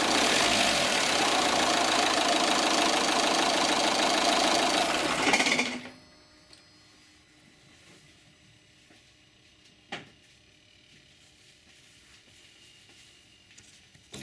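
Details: Opel/Vauxhall 1.9 CDTI diesel (Zafira, Astra, Vectra) harsh fast rattle about four beats a second, then abrupt shudder and jerk on shutdown; faulty throttle valve, code P1125.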